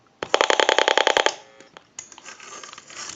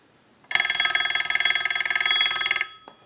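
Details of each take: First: Western Electric 202 rotary desk telephone, heard through an amplified receiver pickup while dialing: a rapid train of about ten sharp, loud clicks, then quieter line hiss; rotary dial miswired, missing the connections that squelch receiver clicking. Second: Western Electric 202 telephone bell box driven by an analyzer ring cycle: bright, fast metallic clatter of the bell striking about four times a second for two seconds, then stopping cleanly; ringer works properly.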